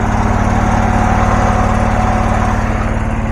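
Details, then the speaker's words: Abandoned John Deere garden tractor with Briggs Intech 20 hp engine, previously burning oil with a dead cylinder, now started: steady even low thump about 2.5 beats a second, no misses or knocks; runs perfectly, normal running. "Seems to be running perfectly. I don't. It runs great. That thing sounds. This sounds better than anything I own."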